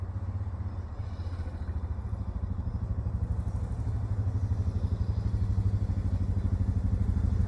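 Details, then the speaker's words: Suzuki DR650 single just started after winter with new fuse and battery, choke pulled: steady thump about three beats a second, settling after start; idling fine, no-start fixed. "ah yes as you can hear sounds [Music] like starting up but she's going so success"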